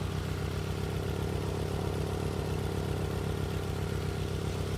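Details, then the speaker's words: Nissan 200SX S12, 40-year-old single overhead cam turbo, idling unevenly with a regular stumble on three cylinders, cylinder 2 dead and intermittent; occasional ping suggests some fuel reaching it. Dead cylinder misfire. "I don't know if there's enough audio quality to tell, but you can actually hear that cylinder ping every now and again. And that tells me that we've probably got a little bit of fuel coming through there."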